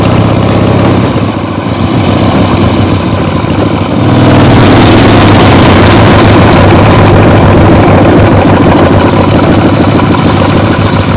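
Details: 1975 Harley-Davidson XLH Ironhead Sportster after full rebuild, first short test ride around the block on temporary lawnmower gas tank: V-twin pulls steady and loud after a brief lull, even lumpy beat, no knocks; carb farts probably adjusted out once warm; runs great.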